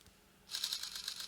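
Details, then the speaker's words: Sony D-EJ621 portable CD player, reassembled after battery-terminal corrosion repair: rapid light ticking as the sled tries to return to its limit switch, and the laser never starts. Owner suspects a misseated laser ribbon cable or gears not meshing. "It's making this clicking noise where it's trying to go back to its limit switch, which is here, to bring it back."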